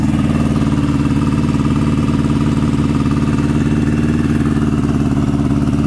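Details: 2003 Yamaha R1 with homemade turbo setup (Subaru WRX TD04L-13T), first startup; one modified injector not firing. A lumpy, loping idle that sounds like three cylinders; misfire with one cylinder dead.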